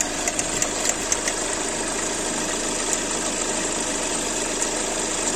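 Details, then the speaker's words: Hyundai Accent Blue at idle: faint irregular ticking rattle from the V-belt end of the engine; cause is a faulty alternator pulley. "şu v kayış bölgesinden yani motordan bir ses alıyoruz ama size bir video eklemesi yapacağım Bu videonun arkasına eğer onun gibi sesiniz devam ediyorsa bilin ki Şu arkadaki şarj dinamo kafası şu şarj dinamonun kafası aşağıdaki bozuktur"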